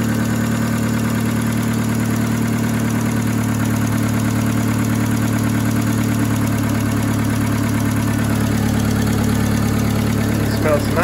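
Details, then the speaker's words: VW Polo 6N2 first start, coil, distributor and fuel pump reconnected: even, steady low idle with no ticking or knocking; normal idle. "here hey sounds nice I'm going to go below the engine and start checking stuff smoke has disappeared I can hear something here but I think it's the belt yeah it's actually the steering pump"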